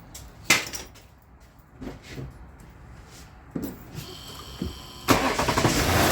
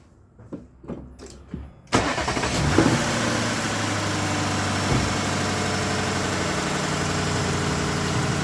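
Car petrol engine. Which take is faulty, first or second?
first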